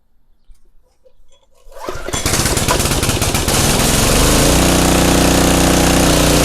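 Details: Craftsman pressure washer, 5.5 hp Briggs & Stratton Intek 190, gifted as non-running: quiet two seconds, then engine catches and settles into a steady, even chug under pump load with no misses.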